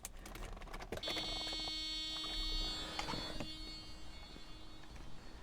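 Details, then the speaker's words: 1990 Mercedes 560SEC (W126) with stalling issue, after replacing fuel pumps, fuel filter and hose, key on before starting: steady fairly quiet electric hum with a few high tones for about four seconds; new fuel pumps priming normally. "Let the gas get up to the engine. Yeah, you can hear the gas pumps there a little bit there."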